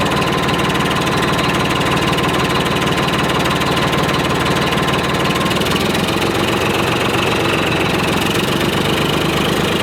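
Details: 1991 Freightliner FLD120 with Detroit Series 60 diesel, first start, fresh batteries only: loud idle with uneven, lumpy beat and faint stumble roughly once a second; misfire from a bad injector, run kept short.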